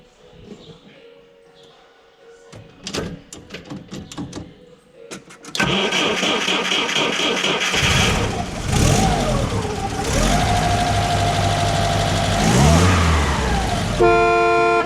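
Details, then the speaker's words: Belarus tractor starting: several sharp clacks and stutters while cranking before it catches and revs; onlookers suspect starter pinion teeth not meshing cleanly, saying the flywheel ring teeth need chamfering so it engages properly. Unconfirmed. "Ma kuulsin, hambad tahad faasimist saada natukene. Ei tea, võib-olla... See hammaste, mul oli sõbral sama viga."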